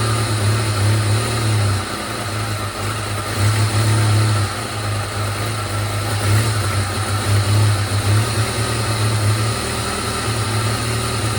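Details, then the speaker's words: 1997 Jeep Wrangler TJ (2.5), idle after another replacement sensor: idle hunts and stumbles, low beat dropping out, persistent miss, no codes. "Okay, still runs like [ __ ] Let's fire this guy up. See what happens. Please run better. I'm tired of this damn sensor already."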